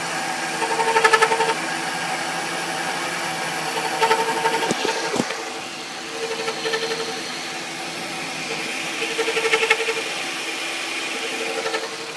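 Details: 2000 Ford Taurus Vulcan: recurring squeaky chirp with a scrape underneath in uneven bursts, only when hot and only at idle, not when driving; cam synchronizer already replaced; owner suspects the transmission, source unconfirmed.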